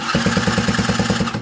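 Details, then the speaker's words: Scooter with a new cheap cylinder after a seizure, no exhaust manifold so loud, electric starter: about nine soft even puffs a second with little resistance; compression measured about 4 bar, poor for a new cylinder. "also weiter denkt warum es so laut dass das liegt daran weil wir kein krümmer haben und die kompression liegt jetzt hier bei ziemlich genau vier bar was für einen neuen was für einen neuen zylinder ziemlich schlechtes"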